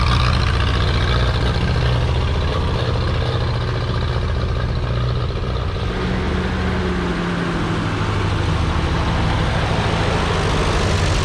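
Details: Ferguson TEA 2085 tractor revived and reassembled after failing: steady low chug at about four beats a second, even and unbroken with no knocks or misses. The engine runs healthy and is fixed.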